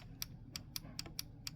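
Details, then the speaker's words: Shark robotic vacuum UR1105ARUS / AV1010AE, Error 2 wheel fix: refitting the wheel module, about seven sharp light clicks in under two seconds as the small metal flap/button of the wheel drop switch seats properly, as it should. "There's a little clicking sound. Super important. What's happening is that there's like a small flap panel or whatever you want to call it here."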